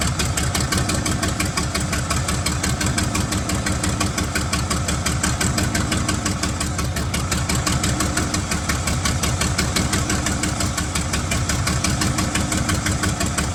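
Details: 1975 White 2-150 tractor, diesel, first run after about 19 years dormant with an open exhaust: loud, raw, steady chug at about three beats a second; running evenly.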